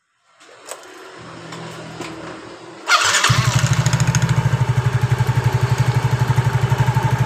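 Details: Mio J scooter, heavy pull at launch and midrange with mid-range vibration, after roughening the clutch bell and clutch linings; worn pulley found: starter whirrs, then a steady, even single-cylinder idle.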